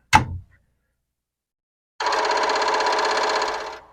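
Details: Commodore PET 4040 disk drive at power-up: a sharp click, then about two seconds of rapid, even buzzing chatter as the heads step; normal chatter, though drive 1's stepper pancake is said to spin instead of chattering.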